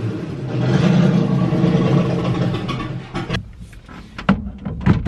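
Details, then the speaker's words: Loud raw rumble with a rough uneven chuff from a freshly started V8-swapped Miata after a TKO600 transmission install and header removal and refit; owner suspects a massive exhaust leak, possibly a damaged header gasket, not confirmed. "There's a really loud noise. I think that it sounds like there's an exhaust leak going on over here, like a massive exhaust leak."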